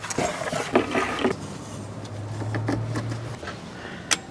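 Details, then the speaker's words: UIBI S600 portable jump starter connected to a 2006 Toyota Tundra with a dead battery reading 1.9 volts: a few sharp relay clicks over a faint hum, normal, signalling it is ready to crank. "now you can hear it clicking that's just the little relay in there sending power saying that it's ready"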